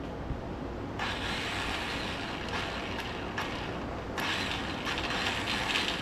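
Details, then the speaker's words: 125cc mini ATV quad after the starter failed: high, thin whirring in bursts with the engine not turning over; the starter spins without engaging the flywheel; owner suspects stripped flywheel teeth, unconfirmed. "so it just seems like it's just spinning right inside there it's not really shooting out and hitting the flywheel maybe we blew the teeth off the flywheel who knows"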